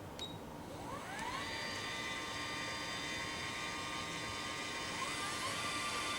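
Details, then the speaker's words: Permobil dual power leg rests: one actuator lifts the rests while a second extends them, giving a steady motor whine, then a second tone climbing in near five seconds; the wobbly sound is normal because the two actuators run at different speeds. "now these permobils they sound a little bit weird you can hear sort of a wobbly noise as this is happening the actuators obviously move at different speeds because they're different actuators"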